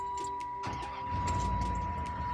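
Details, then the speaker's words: Van after blown head gasket diagnosis, radiator replaced; cranks and catches cleanly, settles to even steady idle, no check engine light, no shuddering or misfires, feels smoother. "no check engine light that's new no shuddering yeah are you shaking so no misfires"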